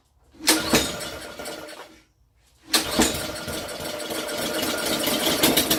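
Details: Honda 6 hp pressure washer (2650 PSI) that sat outside for years, after oil, gas, spark plug change and carburetor cleaning, choke on, starter fluid, no water: catches on the pull, dies, restarts and runs evenly with no knocks.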